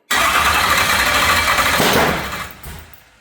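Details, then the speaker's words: LS stroker V8, first start after rebuild: loud, ragged run with an uneven, lumpy beat that sags and dies; misfire because a pushrod was not seated in its lifter, leaving an intake rocker not opening. "So, unfortunately, we were not opening the intake rocker, and that's why it sounded like it was missing, loading up."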